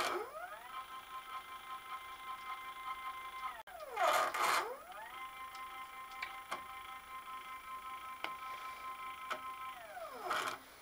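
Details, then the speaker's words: X-axis stepper on an 85-year-old Alba 1A metal shaper being converted to CNC, full-step mode at about 60–65 V: whine rises, holds, winds down each traverse with odd clicks; loses steps until warm after a few cycles; a bigger motor is planned. "it just needs a few cycles and once the thing is warm it's okay but I'm not happy with it"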